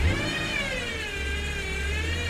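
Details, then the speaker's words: Salvage-auction car just started, idling with a steady, slightly wavering high whine over the engine rumble, like a power steering whine. Dashboard warns of low coolant, a bulb out and a low tire; cause not confirmed. "like a power steering whine low coolant light bulb out low tire phone service is not working"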